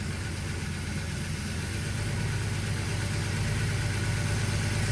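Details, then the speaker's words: Turbocharged engine at idle after reassembly: a steady low idle with a constant airy hiss. The blow-off valve vacuum line port is left open, causing a vacuum leak. "all right I forgot I actually have a vacuum leak that's for the blowoff"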